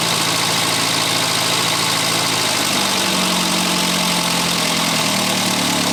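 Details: 1962 Austin-Healey Sprite after 10+ years' storage, after engine teardown fixing a bottom-end knock: even, steady idle with smooth low hum and no bottom-end knock; runs healthy.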